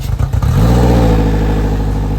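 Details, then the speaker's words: 2007 Suzuki 175 outboard, 700 hours, freshwater-only, running on circle flush muffs after swap from blown 140: jamming the throttle makes it stumble and sputter for half a second, then it catches and runs steady; hesitation on throttle (bog down). "You felt that bog down? Just a little If you jam the throttle, it like breaks up for a second and then will go. It's kind of weird."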